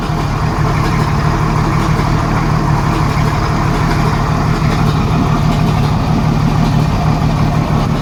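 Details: 1987 Jeep Cherokee Renix 4.0 with a rough idle miss: a steady low idle with an uneven, stumbling beat and a recurring miss. The cause was a sticking valve or bad lifter, since the cylinder 6 exhaust rocker moved less. Loosening that rocker bolt made it run smooth, with a slight tick left.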